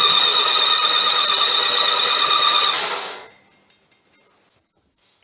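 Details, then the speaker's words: Norvil Norton Commando 850 MkIII, 900 miles, sat 10 years, rocker covers off, turned over on uprated starter to build oil pressure: even high whirring crank about three seconds, stops cleanly; oil reached rocker feed. "we're going to spin it over a few times see if we can get oil pressure see if we can get oil coming back to the tank here we go"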